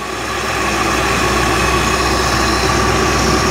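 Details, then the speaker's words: 1955 Chevy Nomad V8 idling after first start in years, fuel primed by hand; fan possibly hitting radiator; steady low burble with a faint high whir, no miss or tapping, idles good and quiet. "Look at that, it's mint. Just idles good and everything. Man, it's so lame and quiet."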